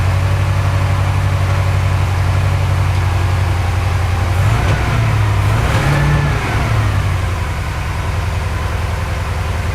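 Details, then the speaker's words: Porsche 928 V8 that runs very rich and guzzles fuel, with mixture, idle and timing being set: uneven, stumbling beat as it revs up, then settles; misfiring a lot under acceleration, cause unconfirmed. "so it's missing a lot like when I um accelerate that way"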